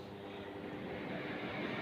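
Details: Small double cooler fan after its motor was lubricated with sewing machine oil and run on high: steady whoosh of moving air with a low, even motor hum, running normally now that low speed works again.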